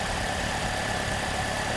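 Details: 2009 Pontiac G6 after exhaust manifold replacement fixing an exhaust leak: petrol engine idling smoothly and evenly, with no ticking or puffing from the exhaust.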